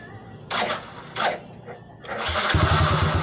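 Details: Motorcycle fitted with a remote alarm installed without a relay: a few quiet clicks, then the engine catches at about two and a half seconds and settles into a steady, even idle; starts cleanly.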